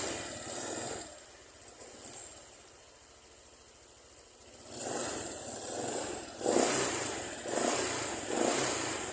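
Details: Honda Vario 125 scooter, throttle blips from idle: revs rise unevenly and sag between blips, throttle and rpm out of sync, flat spot and stutter; mechanic suspects weak throttle position sensor reading 0.39, before carbon cleaning service.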